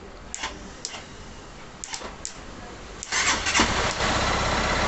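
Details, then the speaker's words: 2011 Honda Titan CG 150 motorcycle that would not crank on the starter; the relay did not engage. After a direct wire bridge, a few short starter bursts, then it catches and settles into a steady idle. A loose contact is suspected. "ela ligou perfeitamente agora houve algumas falhas aqui até porque existe algum mal contato aqui também"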